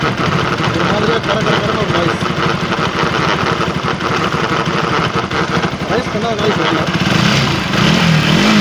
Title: BAJAJ RS 200 Bad Engine Noise /TAMIL